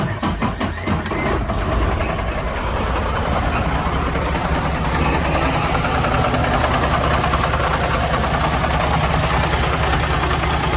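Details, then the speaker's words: 2019 Freightliner Cascadia with a DD15 diesel, cylinder head replaced two months earlier, knocking began after fueling; after readings of 0% and 81% it cranks, catches and idles with an uneven knock and one dead cylinder, possibly a valve or piston problem. "That sounds terrible."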